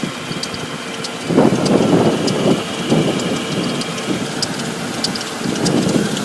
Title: Audi S8 -99 4.2 Strange ticking noise